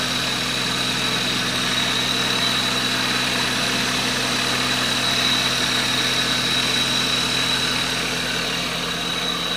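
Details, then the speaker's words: Maruti WagonR petrol that would not start, running after the fuel ran dry and was re-primed by cycling the key several times: steady, even idle with a constant hum and faint high whine, no misses; now running fine. "അങ്ങനെ ഇപ്പോൾ നമ്മുടെ വണ്ടിക്ക് വേറെ പ്രശ്നങ്ങളൊന്നുമില്ല, എല്ലാം okay ആയിട്ടുണ്ട്."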